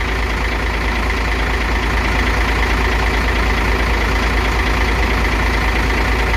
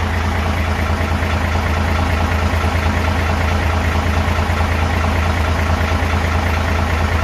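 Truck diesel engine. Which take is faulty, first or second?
second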